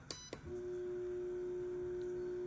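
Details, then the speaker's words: Electrolux LTD11 washing machine, fabric softener inlet valve activated via MAT self-test monitor: two light clicks then steady even mid-pitched hum; valve working, showing the machine has two valves. "eu estou escutando um barulho eu não sei se vocês estão Ok então pelo monitora que ela está funcionando"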